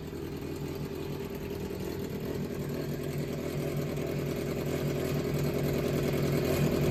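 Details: Yamaha XJR400 (4HM) four-cylinder in running condition, stated to have no abnormal engine noise or white smoke: even, smooth beat that swells steadily as revs rise, with no knocks, ticks or rattles; normal idle and revving.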